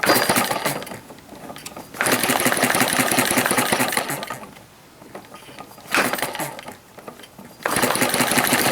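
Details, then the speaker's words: Model hit-and-miss gas engine on its governor: pops along in bursts, then fades to near silence; fuel starvation from air bubbles in the fuel line, tank not yet sorted. "i got air bubbles in the line again she's just not getting the fuel into her"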